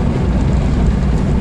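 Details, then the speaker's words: 1989 Jeep Cherokee driving at barely open throttle: deep, uneven drone with lumpy chug, bucking; fine with more or no throttle; new TPS pending, cause not pinned down. "i don't know if you can hear that but it it kind of chugs and uh kind of bucks quite a bit it's fine if i let off the throttle if i push the throttle a little bit more but if i just barely have my foot on the throttle it bucks"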